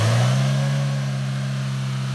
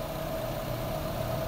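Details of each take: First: Chevrolet Aveo, AC not cooling: engine revs with a steady drone; compressor clutch plate engages and turns but there is no compression, pressure stayed around 7 after adding refrigerant; fix is a new compressor, flushing and a new drier. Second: Chevrolet Aveo idling with AC on during warm-up after replacing a compressor that had no compression with a brand-new one; steady idle with faint even compressor whine, no knocking or grinding: normal.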